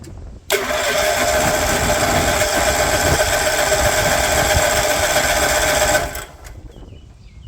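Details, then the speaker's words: 36-year-old Toro Wheel Horse 416-8 garden tractor, fresh fuel, oil OK: cranks about five seconds at roughly four compressions a second, never fires; crank no-start, possibly no spark. "Go hit it with a shot of ether. Might not be getting spark."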